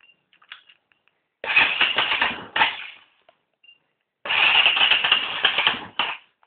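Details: 250cc D7 single after its misfire was fixed: two short, crisp bursts of revving with quick clean drops back down, no stumble or popping; normal running.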